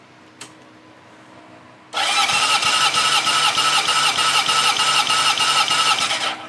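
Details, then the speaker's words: 1971 Honda CB750 K1 four-cylinder, about 18,000 miles, compression test: steady, even starter cranking about three beats a second, about 150 psi on all cylinders within a couple psi; healthy engine, baseline before valve clearance check. "oh yeah this this thing is almost dead nuts 150 psi across the board so I'm sure that is perfect I'm really glad I did that because now I know what I'm really dealing with super healthy motor"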